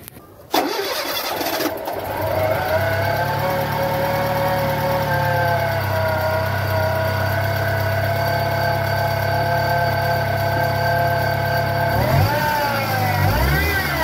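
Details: Fiat Palio 1.0 Fiasa starts with a brief crank, catches and settles into a smooth, even idle without the alternator/auxiliary belt squeal; normal start and idle.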